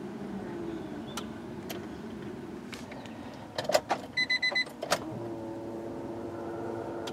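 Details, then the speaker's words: Turbo Acura Integra GSR, newly installed Kemso upgraded fuel pump priming at key-on after chimes: steady, even electric hum, a little louder than the stock pump but not obnoxious; normal priming. "so it's a little bit louder I don't know if y'all can hear that I do it again a little bit louder than stock pump but definitely not obnoxious or anything like that"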